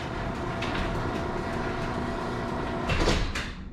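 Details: Chamberlain myQ garage door opener after travel-limit adjustment: steady rumbling run, then soft thud as the door seats and motor stops; door closes normally, no light showing.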